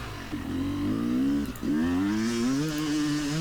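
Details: Yamaha YZ250X two-stroke with Panthera electric start on a hill climb: crisp buzz climbing and dipping smoothly with the throttle, clean pull with no stumble, engine running right; a power-valve hesitation was later found and fixed.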